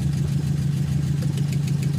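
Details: 4AF carbureted engine: uneven, lumpy idle with periodic dips like a cylinder dropping out; misfire at idle, compression test on cylinder one performed, cause unconfirmed.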